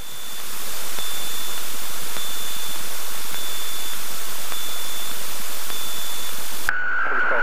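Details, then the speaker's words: Cessna 172 in slow flight with full flaps, about 40 knots ground speed, adding a little power to hold it at the edge of the stall: steady high reedy stall warning horn over cabin roar, continuous. "There it is. You hear the warning. Just going to add a little bit of power, because I want to keep that stall on, because I'm right on the buffer, right when it's about to stall."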